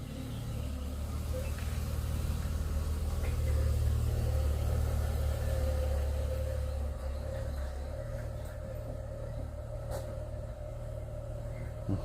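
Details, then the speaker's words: Audi A4 (1.8) with a misfire: low uneven idle stumbling about three times a second; scan shows ignition open-circuit misfire faults on cylinders 1 and 4, one cylinder dropping out from a dead spark plug. "Pagi ini kita kedatangan mobilnya Jason Stadham mengalami pincang ya, Teman-teman semuanya."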